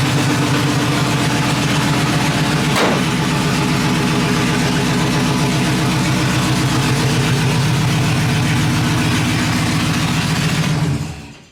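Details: Truck after exhaust leak repair and new head gaskets, recorded from outside: steady, even idle at about four exhaust pulses a second, no ticking or puffing, no leak; some smoke noted afterward. Normal idle.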